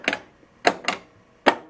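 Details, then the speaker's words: 1982 Bally Mr. & Mrs. Pac-Man pinball, solenoid expander board: sharp dry clicks in quick irregular pairs as the expander relay alternates so one transistor controls two devices; normal operation. "what solenoid expansion board does is alternate so they had a limited number of transistors here so what they did is that any one transistor could control two devices"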